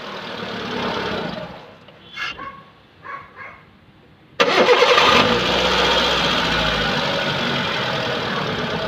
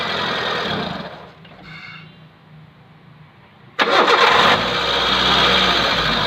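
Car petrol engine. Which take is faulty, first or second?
second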